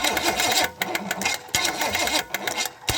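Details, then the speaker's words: $50 Chevy small-block 305 of unknown history, with carb fitted and float bowl just filled, trying to start: starter whirs and churns in uneven bursts with a whining clatter, engine never fires; crank no start, noise thought to be just the starter. "that's just the starter making that noise i think"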